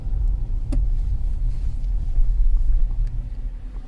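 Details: 2015 Kia Sorento 2.4L on a road test after a new front wheel bearing, also checking the oil control valve for P0011: steady low road rumble with no hum or growl rising with speed; no wheel bearing noise.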